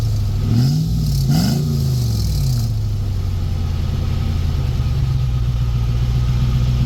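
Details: Truck with the muffler removed, before a muffler patch repair: deep, loud, blatty rumble that swells with throttle blips, then settles to a steady idle. Straight-pipe sound with the muffler off.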